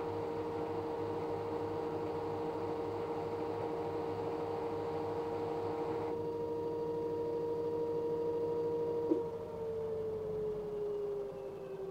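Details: LG direct drive 6 kg F1058ND5 washing machine: steady thin whine holding one pitch over a quiet hum, then dropping and fading as it stops; owner suspects the pump, unconfirmed.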